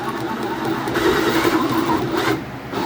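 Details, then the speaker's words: Homemade chainsaw mill (Izzy Swan plans) mechanism driven by power drill, newly built: uneven rubbing squeal about two to three cycles a second, new noise; owner says it needs a little grease. "Wrong direction. that's a lovely noise, isn't it? Hadn't been making that"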